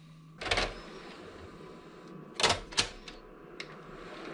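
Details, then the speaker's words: PS2 console failing to read discs or DVDs: irregular sharp clicks over a faint hum as the drive struggles to read, judged to need a drive belt change. "This one is struggling to read. I can hear the disc making clicking noises, but that's about it."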